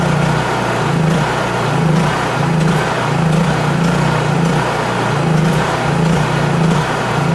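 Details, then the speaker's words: Honda EU3000is inverter generator after carburetor adjustment, fuel valve shut to burn the carburetor dry before storage: engine speed rises and falls in a steady cycle about every 0.7 seconds; surging from fuel starvation. "and all that surging was because I turned that valve off right there the fuel valve and uh that's what you should do to uh especially if it's going to be uh not started for a while because it drains all the uh fuel it burns all the fuel out of the carburetor"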